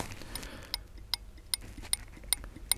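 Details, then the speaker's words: Holden VZ Commodore, indicator switched on, recorded near the relay: crisp, even ticks about every 0.4 seconds; relay switching and indicators working. "now i can hear my indicators relay is ticking i don't know if you can hear it or not i will bring it close to the mic"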